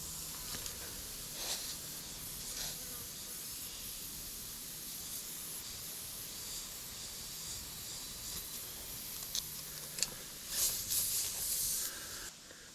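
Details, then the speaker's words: John Deere 575 diesel skid steer tire with some dry rot: a steady, even hiss of air escaping. The leak is much reduced but still slowly leaking, and another leak is suspected on the back side. "it's still leaking just a little bit okay it's barely leaking now but I hear another"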